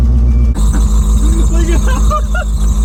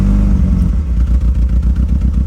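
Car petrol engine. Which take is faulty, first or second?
first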